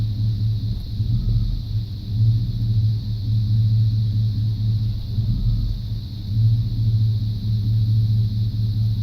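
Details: 1995 C1500 350 TBI V8: a deep idle rumble that lurches unevenly, the beat dropping out now and then. A misfire at idle persists after replacing the plugs, wires, cap, rotor, EGR valve and coolant temp sensor.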